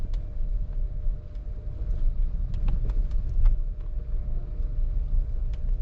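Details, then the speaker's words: Car driving after a sway-bar replacement: only a steady low road rumble with a few faint ticks and no clicking over bumps; the earlier annoying clicking is gone and the front end rides quietly. "yeah it's quiet now no more no more of the Annoying clicking sound smooth ride looks like the thing is working now"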